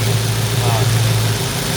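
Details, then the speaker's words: 1972 Ford Mustang 351 V8, 2-barrel carburetor replaced by throttle body fuel injection from an old Chevy pickup: steady, even low rumble, no misses or hunting; runs pretty well, normal idle. "runs seems to be pretty smooth. Seems to uh seems to run pretty well."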